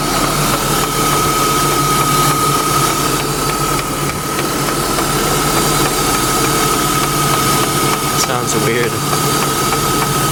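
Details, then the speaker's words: BMW E36 AC Schnitzer convertible that began overheating, idling and revved: a thin steady squeal over an uneven flapping; the worn serpentine belt is suspected of coming apart and slapping. "oh wait just something to do with the belt the belt looks free used Oh is there a strip on the belt somewhere looks like she got lucky we're thinking it's the SIRT belts coming apart"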